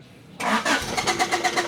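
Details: 1993 Honda Accord with an intermittent no-start when hot. The starter churns in steady pulses about six a second and the engine spins but never fires; voltage-drop testing at the pump points to a bad fuel pump.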